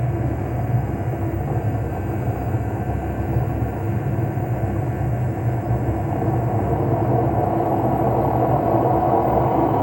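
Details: LG washing machine: heavy, continuous rumble building as the drum spins faster, from worn drum bearings; the repair replaced the two ball bearings and the seal.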